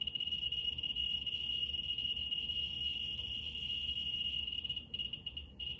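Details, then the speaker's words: Geiger counter on x100 scale held close to autunite uranium ore, reading almost 175,000 counts per minute: continuous high-pitched buzz of clicks breaking up as the probe moves away; mostly beta radiation. "Okay, it's getting loud. Yeah, it's reading super high. It's like almost 175,000 counts per minute."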